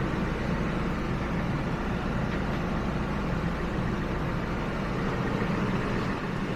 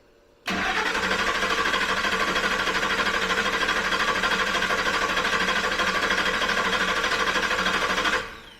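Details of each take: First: 2000 Ford F-150 at 331,000 miles, just after replacing the original fuel pump: steady, even low rumble at idle with no misses, knocks or surging; runs smoothly, though a leak was found at a heater attachment point. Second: The starter churns steadily for about eight seconds and the engine never fires. This 2000 Ford F-150 has no fuel pressure; when actuated with a tool, the relay clicked but the fuel pump didn't turn at all.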